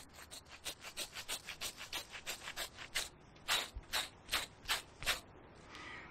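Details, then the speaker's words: 1997 Renault Twingo 1 phase 1 front wheel bearing, pressed out of the hub carrier and spun by hand: rough, gritty, dry rasping; bearing noisy and dead, being replaced. "voyez quand vous avez ce bruit là c'est que le roulement s'est décollée puis ça va venir tout seul"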